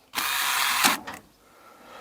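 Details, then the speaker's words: 1988 VW T25/T3 Caravelle GL central locking repaired with VW T4 actuators: short buzzing whirr under a second then a quick clack as the master actuator motor, pinned in, activates the other locks; actuators cycling normally. "hear it activating the other locks."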